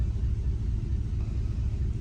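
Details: 2010-2014 Chevrolet Camaro with cylinder 2 misfire, codes P0302 and P0202, injector circuit open: deep, lumpy idle with an uneven beat, a single-cylinder misfire from a failed fuel injector.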